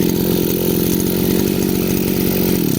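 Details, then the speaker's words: Chinese brush cutter two-stroke after carburettor adjustment: small engine ticks over at a steady, even idle with no hunting or stumbling before cutting off; idle now good. "Acum ralantiul este bun."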